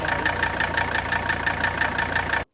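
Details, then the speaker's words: Mercedes 300TD wagon idling diesel: steady, deeper knock about six times a second, heavier than normal injector clatter; flex plate, front pulley, injectors, pre-chambers, valve train and timing chain being checked to isolate it; cause not yet confirmed. "Can you hear the knock I'm talking about here? It's a little bit deeper knock than you normally hear just with fuel injector"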